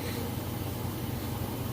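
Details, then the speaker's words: GE washer, inspected, heavy load, final spin with drain running: even low hum with steady rushing water, no thumping, banging or scraping; balanced quiet spin speeding up normally. "It's spinning nice and fast, and as you can hear, it's nice and quiet. The drain is running."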